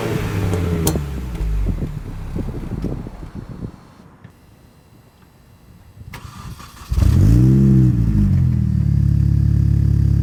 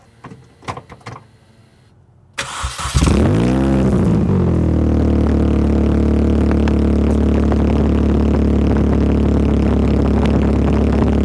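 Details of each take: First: Mini Cooper S R53 with the factory exhaust reinstalled in place of the Borla cat-back: cranks and catches, then rises into a deep, even rev with soft little burbles. Quiet, healthy stock exhaust. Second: Mini Cooper S R53 with the Borla cat-back exhaust removed: engine cranks, catches and settles into a loud, deep, booming idle with a blip of revs.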